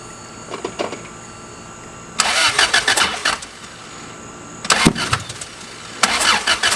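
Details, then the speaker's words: Toyota 3S-GE Beams engine on MS3X after wiring and coil-pack rewiring, with spark and fuel confirmed, plugs pulled to clear suspected flooding: several short uneven cranking bursts, no catch; cranks but won't start, cause unclear. "I'm going to crank it real quick and if he does the same thing I'mma bring props out again see if I come on come on please just run come on come on"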